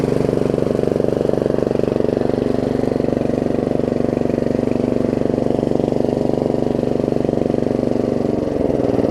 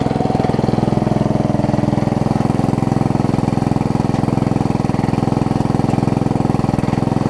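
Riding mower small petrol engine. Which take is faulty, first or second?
first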